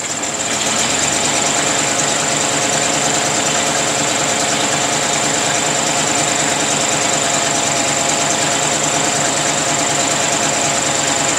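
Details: 1934 Ford sedan, rebuilt original 1934 flathead V8, first start in 30 years after distributor and coil rebuild, new plug wires, cylinders lubricated, oil changed, fresh fuel from temporary can, no priming or choke; catches within a second, steady busy hissy run, no knock.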